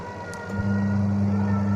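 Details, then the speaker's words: Two-tub washing machine that only hummed and would not spin, caused by a swollen capacitor; after the fix the wash motor kicks in within half a second and settles into a steady, clean low hum, running normally. "Kita coba pencucinya ya. Ya, sudah nyala ya. Sudah nyala."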